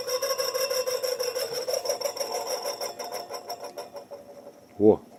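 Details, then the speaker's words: Moskvich 410 heater blower motor, removed from the car and bench-run: it hums and rasps at a steady mid pitch, then winds down, with low speed from a sticking brush; it later wore in to 2 A but still needs overhauling and centering. "Сейчас сняли печку, моторчик будем ревизировать. Подвисает щётка, слабенькие обороты."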